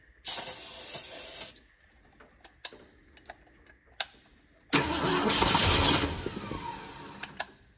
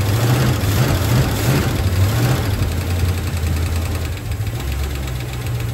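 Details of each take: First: 1966 Ford Mustang GT convertible stored over 10 years: two cranking bursts, even chug, brief catch on starter fluid; compression good, engine starved of fuel, gauge reads E, fuel line to carb to be checked. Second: 1966 Ford Mustang GT convertible V8 after sitting over 10 years, after fuel filter leak tightened: deep steady rumble idling evenly with slight lope, no misses or knocks; oil pressure good, no leaks found; normal idle.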